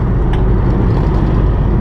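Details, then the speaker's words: 2011 Nissan Rogue SL AWD 2.5 four-cylinder, 167,000 miles, driving; steady low rumble unchanged when turning hard either way, so not a wheel bearing, worn staked driveshaft universal joint. "That noise is there constantly, so we know that is not a wheel bearing."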